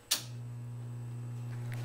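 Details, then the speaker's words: New heat pump fan motor on a bench, with one run-capacitor wire disconnected to simulate an open capacitor: a click at switch-on, then a steady low buzzing hum with no run-up. The motor sits stalled but takes off if spun by hand. Open run capacitor. "see it's just sitting there home and you can spin it and it'll take off which is fairly characteristic ICS of of capacitor problems"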